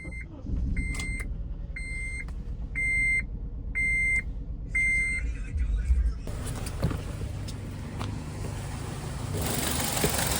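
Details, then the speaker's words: A steady two-tone chime, then a neglected 2005 Honda Element EX with a rebuilt salvage title cranks and catches into a lumpy, uneven, shaking idle; it sounds like a misfire. "Look at that engine shake. Listen to that."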